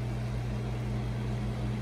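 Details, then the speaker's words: Restored 1964 3M Wollensak Model 524 reel-to-reel at 7.5 ips, heard from the back as the tubes warm up; air-cooled motor and rubber-grommet-mounted fan give a smooth low hum and soft whoosh, no rubbing or slipping, normal. "cooling fan draws air in that way and blows it across the motor it's a air-cooled motor"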